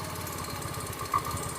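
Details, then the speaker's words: Yamaha Fino scooter with body panels removed: quiet idle, then light rapid ticking appears as soon as the throttle is opened slightly, keeping pace with the engine; suspected at the front of the head, worn camshaft ticking. "Rasanya nyaman dalam posisi ini, teman. Jadi tidak ada suara kasar. Begitu kita menginjak pedal gas sedikit, suara itu muncul."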